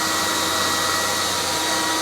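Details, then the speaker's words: CECOR SD-15 Sump Shark with a battery conversion, running on battery power on the discharge setting to empty its coolant tank into a drum. Constant high-pitched motor whine with a steady airy rush that never wavers; running normally. "So right now we're on battery power. We're going to discharge the fluid that's in the tank into this drum over here. So we can fire it up. We do have it under battery power right now."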